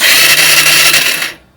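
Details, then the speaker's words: Yamaha TTR125 under restoration, with its ignition wiring spliced to a Kawasaki harness: the starter gives a high-pitched electric whir for just over a second and engages normally; spark is weak but present. "you can hear the starter also the uh the motorcycle has spark it was pretty weak but it has spark which is really good news"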